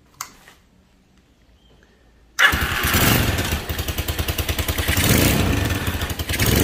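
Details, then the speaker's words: IGM Street 160cc Chinese motorcycle revving: harsh buzzing rattle like a phone vibrating on a wooden table, pulsing as revs climb; caused by loose engine mount bolts. "ok presenta un problema de un ruido terrible a la hora que nosotros aceleramos el ruido es tan idéntico a un teléfono cuando está vibrando encima de una mesa de madera tal y cual"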